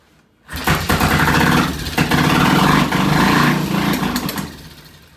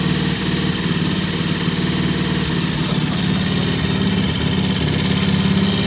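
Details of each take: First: Vintage British T20M motorcycle on a first start test, using a separate ignition system isolated from the bike's wiring: it fires at once into a loud, uneven beat, surges, then fades within seconds. Carburetor problem suspected. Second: Vintage British T20M single, idle set high for its "EP system": even, fairly quick beat holding a steady high idle with no knocks or misses; normal fast idle.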